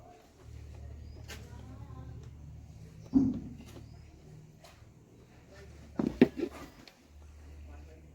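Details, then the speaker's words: Mixer grinder motor, series-wired after field rewind: does not run, no current to body, only a faint low steady hum with a few clunks; armature shorted, replaced with matching new armature. "अब आप देखेंगे कि ये चल नहीं रहा है, current body में कुछ नहीं है, और हल्की सी आवाज़ इसमें आ रही है।"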